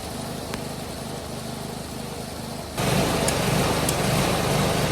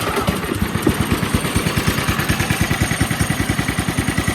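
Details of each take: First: Polaris 110 kids snowmobile with a new carburetor: after a couple of minutes the even idle steps up to a louder, faster run without throttle input; owner first suspected an air leak, cause was the throttle linkage. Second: Polaris 110 kids snowmobile, single-cylinder, after carburetor replacement and governor linkage simplified to a direct throttle rod; starts and chugs at an even seven or eight pulses a second, a steady, smooth, healthy idle.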